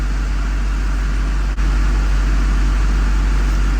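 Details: Duramax diesel truck idling cold after sitting, with fuel pressure issues and a check engine light. Steady, even low idle, no misses, knocks or surging, smooth rumble; running normally.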